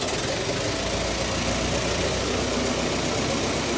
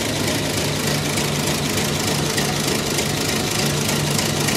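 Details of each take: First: Roughly 109-year-old Ford Model T four-cylinder after a snow drive: an even, steady chuff at a relaxed idle with no misses or knocks, left running to burn the fuel out of the system; runs normally. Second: 109-year-old Ford Model T, cold day, just switched from battery to magneto: uneven loping idle, roughly three beats per second, over busy mechanical clatter; runs rough while cold, expected to smooth out when warm.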